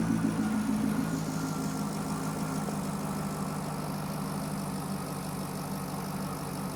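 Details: Chevrolet Corvette with a P0300 misfire; an in-cylinder test showed the injectors firing at the wrong time. At idle there is an intermittent uneven stumble under a steady hum while the cam and crank sensor signals are scoped. It is suspected, not confirmed, that timing cover removal is needed.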